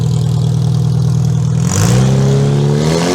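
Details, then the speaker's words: Demolition derby car's engine on its first start attempt after the build, with fuel pump and computer powered: a smooth idle rising into a clean rev without knocks or misfires. Runs well, though oil pressure reads only 50 psi. "I think that thing runs pretty damn good."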